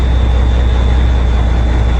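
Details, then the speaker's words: 1994 Peterbilt 379 truck, 1994 5EK diesel set at 475 hp, 18-speed, push-button start, not started in over a week: deep, even diesel rumble at idle with no knocks, misses or rattles; normal. "So let me start it up real quick so y'all can see that it does work and does run."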